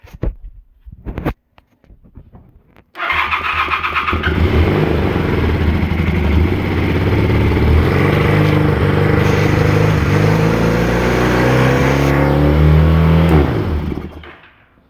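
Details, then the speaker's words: Honda CB400T after carb work, first start after sitting, with choke: engine catches after cranking and settles into a fast idle that creeps upward; owner suspects idle set too high or throttle misadjusted, not confirmed. "I think I either have the idle set too high or the throttle might be adjusted a little bit. It kind of seemed like the RPM was starting to run away on"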